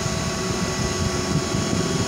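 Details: IGBT inverter welder being serviced after total failure and short circuit; main PSU voltage 25 V stable, 15 V rail normal; the cooling fan spins fast with a steady whirring hum at constant pitch, no rattle or scrape; fan running normally.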